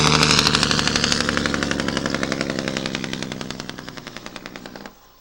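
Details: Cummins ISM diesel: sharp even barking pops near four a second that slow and fade as revs drop; compression brake noise.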